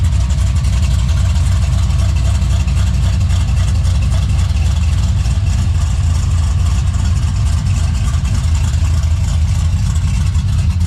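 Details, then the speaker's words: LS-swapped Box Chevy wagon V8 with an aggressive cam, partly tuned on a janky swap harness (new harness ordered): deep, loping idle with an uneven, choppy rumble, steady and settled, idling pretty good; lopey cammed idle. "But man, he got it to idle pretty good. Fire it up and let y'all hear this whole thing lope around."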